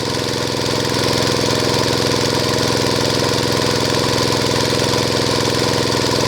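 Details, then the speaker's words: Small single-cylinder water-pump engine converted to run on LPG without a vaporizer: after switching off petrol and adjusting the gas feed, an even, steady fast idle with no stumbling; normal running on gas. "พอปรับได้ที่แล้วก็เครื่องเริ่มนิ่งแล้วนะครับทำการเล่นเครื่องนิดนึงก่อนนะครับ"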